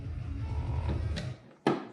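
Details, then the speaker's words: Removable rudder on an Extreme Flight kit using the factory hinge wire: soft creak as the rudder swings, then one sharp small pop where the crooked hinge wire binds; held aligned it spins freely with no pop. "you can hear a little pop. But whenever you hold this in place, everything spins super freely, smooth, no pop."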